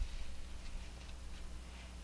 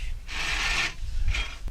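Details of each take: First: Farmall Cub transmission/rear end, shaft spun with reverse idler gear removed: low steady hum, faint ticks, no whine or grind; noise gone, so it lies in reverse gear or its mating bottom-shaft gear mesh. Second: Cub tractor transmission on the bench, differential removed: shaft spun quickly by hand gives a rasping gear grind in two bursts with a hitch; suspected poor mesh with a worn reverse idler gear, to be removed to narrow it down.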